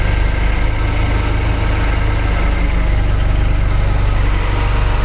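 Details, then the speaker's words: 2015 Jaguar XF 2.0L four-cylinder with a flashing check engine light, idling under the hood: deep, shaky idle with a ragged, loping pulse and missing beats. Unplugging cylinder 1 changes nothing, so cylinder 1 is confirmed dead. "hopefully you can see the shaking and disconnecting number one does nothing"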